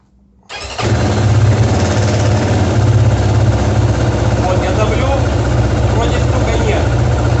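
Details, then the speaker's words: Kovi Pro KT, zs177mm single-cylinder, 1300 mileage, 44 engine hours, started while the chain tensioner is pressed by hand (owner suspects a weak spring or stretched chain): a rough idle with a loose, irregular rattle. Chain slap from the failed, seized original tensioner. "появляется стук. И все, его заклинило."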